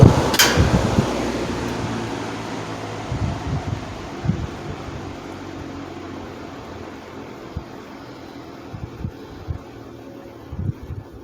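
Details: 1950s Wizard reversible box fan after cleaning and oiling the bearings, powered down from high speed: smooth, even whir coasting down with no ticking, rubbing or bearing growl. Motor runs cooler than before the service.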